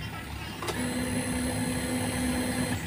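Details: Fuel-injected motorcycle, battery at 11.2 V, no power-up voltage booster fitted: steady mid-pitched fuel pump priming whine for about two seconds at key-on, then cut off.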